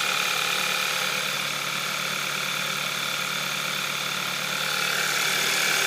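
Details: 2012 VW Scirocco 2.0 TSI DSG, 9,800 km, cold idle: steady fast ticking close to four a second with high-pitched clatter over an even idle; owner unsure if normal, source not pinned down.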